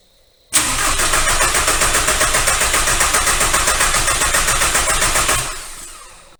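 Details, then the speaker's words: VW ALH TDI crank-no-start after injection pump head seal replacement and vacuum priming. Injector lines are cracked to bleed air. Steady starter cranking about 220 beats a minute for five seconds, never catches; air in the fuel system. "so I went ahead and cracked these fuel lines and I'm gonna go ahead and try to crank it over now see if it helps"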